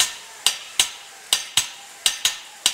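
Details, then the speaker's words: CAT Air Assist Airless sprayer pump being flushed at setup through a 1/8-inch hose; sharp, uneven clacks about two to three a second with hissing from trapped air, then it straightens out to a smooth flow of material. "you can hear where the air is in the system. You can hear it start to straighten out. Now we're getting a nice flow of material."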